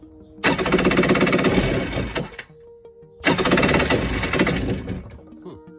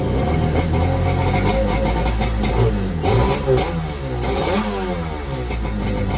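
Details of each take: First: Xi 750 hull with swapped-in 650 engine, first start attempt on starting fluid, kill wires not yet connected, spark seems weak: two short bursts of rapid rough firing that die after seconds; engine catches briefly, possible backfire feared. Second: Xi 750 jet ski with an SS 650 two-stroke engine swap, first start after rewiring with fresh fuel and hand choke: fires up and settles into an even, fairly quiet run with steady revs and no knocks; normal running.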